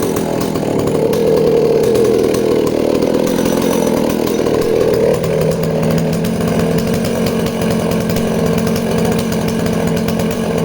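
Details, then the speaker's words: Danarm 36 "hot rod" chainsaw with stainless steel exhaust, cutting wood: steady two-stroke drone dips slightly as bar bites, holds clean without stumbling; intermittent off-load misfire disappears under load. "wow well surprising isn't it even with that uh intermittent misfire when she's kind of offload the minute the engine's loaded up the misfire seems to disappear that's really interesting as well"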